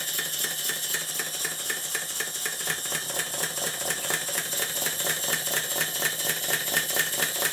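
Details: Southworth duplex steam boiler feed pump, water cylinders lubricated with oil, glands blowing: rapid clacking beat near two per second that stumbles irregularly because the valve timing is off while being set by hand.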